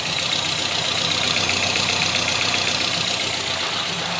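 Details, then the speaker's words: Nissan Rogue with P0300 and power loss, idling: uneven idle with a steady pulsing stumble, about four beats a second. Cylinder 4 dead because the ECU sends no trigger pulse to injector 4; injector supply voltage is present. "El inyector número 4 no está activando. Esto es a causa de la computadora. No manda una señal de salida de activación para el cilindro."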